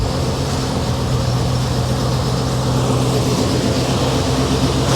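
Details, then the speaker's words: 1986 Chevrolet Monte Carlo SS, after replacing a faulty $9 AC part. Steady even idle with a constant low hum and no knocks or squeals; the AC is running and cooling, with vent air falling to about 14. "Oh, I heard the RPM drop. I think we got a functioning AC."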